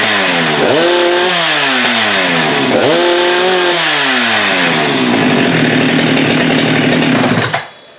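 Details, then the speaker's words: Husqvarna 394 chainsaw with HyWay 58 mm big-bore cylinder, original carb: revs up in two sharp blips, then holds a flat, burbly top speed capped near 10,900 rpm no load by the carb's rev limiting, about 1,500-2,000 rpm short. "So what's happening here is that saw will get to 10.9 or 10,920 RPMs, and that's when the rev limiter of that carb kicks in, which in my most humble opinion is just way too slow. That thing should get to about 12.5, so we're losing almost 2,000 RPMs."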